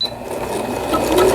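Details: Singer Computer 9780, Japanese-domestic, used about 10 years, repaired after seizing from a needle-damaged bobbin case and misangled hook race: even stitching chatter rising smoothly with speed, no knocks or grinding, overlock stitch sewing normally.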